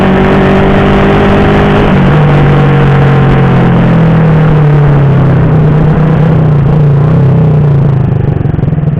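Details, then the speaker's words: Honda Supra Fit (C70 body) with PE24 carburetor replacing PE28, accelerating: revs waver and stumble through mid-to-high rpm, good at bottom; hesitation under load, suspected carb setting, ignition or mismatched engine capacity. "Bro, you can see that, for medium to high rpm, when we try to accelerate, there is a serious crash, well, there are other factors, Bro, not just the carburetor part, the ignition part could also have an effect"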